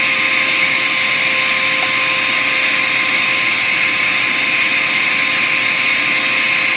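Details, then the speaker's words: Bissell Powerforce Compact upright vacuum: steady high-pitched motor whine with two fixed tones and a free-spinning hiss, motor spinning up too high with no suction; clogged airflow path. "okay so we are very clogged and if you have these machines or no these machines then you can probably hear the the motor spinning up a little too high"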